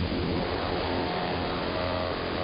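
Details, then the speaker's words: Interference across the entire AM band: muffled, raspy motor-like buzz with a faint wavering whine, steady throughout; not apparently RF, owner suspects something electromechanical, possibly from the industrial park two blocks north. "It does not seem to be any sort of RF device causing this. I mean, it's up and down the entire AM band. I believe it's something electromechanical."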